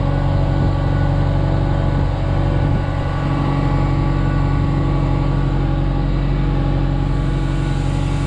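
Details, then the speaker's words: Genie S60 boom lift after crank-no-start repair: steady, even engine drone with constant low fuel pump hum, oil pressure up, fires right up, no knocks or misses; running normally. "fuel pumps buzzing along got oil pressure fires right up"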